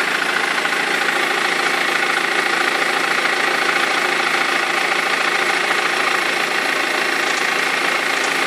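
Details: 2003 BMW E46 320d diesel at idle: fairly regular knock and rattle about three per second over the diesel clatter from a perished crankshaft pulley vibration damper; both belts eventually fell off.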